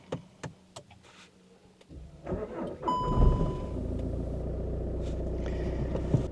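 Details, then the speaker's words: Stop/start car at the end of summer, having laboured when starting for about a month: a few slow, dragging turns of the starter before the engine catches and settles to idle; weak battery needing replacement. "That's not too bad. I started this morning, but it's really labouring when it's starting. It can only mean one thing."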